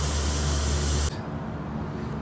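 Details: Addison dehumidification unit with refrigerant circuit one found completely flat, during a nitrogen leak search: loud steady hiss that drops to a lower level partway through, pressurized gas escaping.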